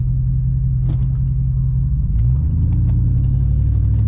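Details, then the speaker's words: 2011 GMC Sierra Denali after NorCal fender mod and raised coilovers with adjusted compression and rebound, driving: even low road rumble with no scraping or rhythmic tire rubbing against fenders. "so far no freaking uh no rubbing at all man thank the Lord"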